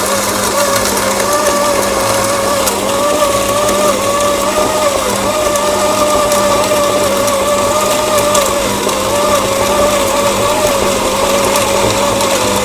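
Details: Grinder on a used 2022 Lelit Anita coffee machine after repair, grind set fully fine: steady even motor hum with constant mid-pitched whine, no knocks or rattles; grinds slowly but runs smoothly, healthy.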